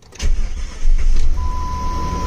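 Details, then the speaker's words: 2000 Jeep Grand Cherokee 4.7L V8, first start after replacing fuel injectors and spark plugs for stuttering and no power above 2000 rpm: quick cranking, catches at once and settles into a steady, even idle, slight tremble noted; normal start. "oh that's good it started right up and it's idling so let's go take a look there's this oh that sounds really nice right now"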